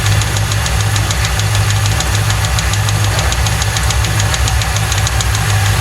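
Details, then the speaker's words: 1995 Lincoln Mark VIII 4.6 4V Ford Modular V8 over a rough idle after a timing job; it was found with no oil and a non-original filter. A hard, deep, regular knock pounds in time with the crank: a rod bearing knock, which allegedly was not there before the shop. "So that certainly sounds like a rod knock to me. That's a rod. Yeah, it's definitely got a rod knocking."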